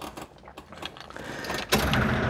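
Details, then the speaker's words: Car with FiTech fuel-injection throttle body, after fixing the wiring behind a hard-start issue: key-on brings a sudden loud, rough buzz after the clicks as the noisy electric fuel pump primes, due for replacement; engine then cranks and starts. "kion there's that awful pump noise and here's the value let's see what happens when we crank yes that is awesome"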